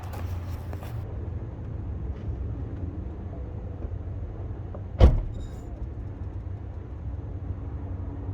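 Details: BMW with N20/N26 engine after throttle body replacement, suspected as the cause of a noise since purchase: low, even idle hum holds steady, one door-like clunk midway, no ticking, knocking or whine; healthy idle.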